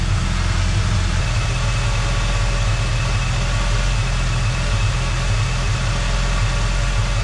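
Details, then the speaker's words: 1986 Ford Mustang SVO at idle after replacing a tubular header with a factory exhaust manifold; even, steady idle with no exhaust puffing or ticking from underneath, some residual smoke burning off: normal idle, leak gone. "that's a lot better sounds a lot better it's starting to smoke but that's going to be some residual that'll burn off it'll probably get worse before it gets better but no longer can you hear the exhaust coming from down there anymore"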